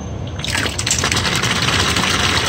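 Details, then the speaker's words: Fairly old two-pipe EG-11 steam boiler with rusty water: McDonnell & Miller #67 low water cut-off valve opened for blowdown, water gushing with steady rushing hiss, burner should shut off; normal blowdown flushing the float chamber. "we're going to test the low water cut off and this is how i'd advise doing it just open it up burner should shut off and then let it refill and hear the burner come"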